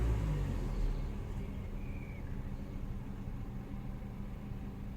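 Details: Peugeot RCZ 1.6 156 GT petrol, about 6 minutes after a cold start: after a throttle blip the idle sags low and uneven as if to stall, then recovers; the fault stops once warm; owner suspects coil packs or high-pressure fuel.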